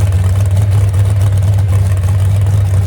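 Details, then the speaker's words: Moonshiner hot rod big-block fired after about 7 months following full rebuild from crash, two crossed plug wires fixed; deep even rumble at steady idle with no misses, knocks or ticks; normal idle, though temperature gauge not working and possible radiator leak. "Well, girl, still sounds good, don't it? That's all it needed right there."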